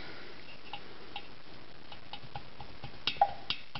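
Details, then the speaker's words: 1965 VW Baja Bug air-cooled 1600 dual-port cylinder head, valve spring removed: light uneven clicks as the valve is wiggled by hand and clunks around; that much play means the valve guide is worn out and needs replacing. "see how much that bounces in there shouldn't bounce like that me the guides are wore out"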